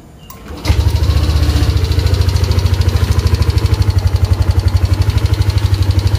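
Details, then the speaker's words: Yamaha Aerox scooter after repairing a torn engine temperature sensor socket and wiring that caused the MIL light and unstable running: quick crank, catches at once, even idle with no misses; fault cured, engine runs normally. "Selesai terpasang, tinggal kita coba. Sembuh, dia hilang. aman."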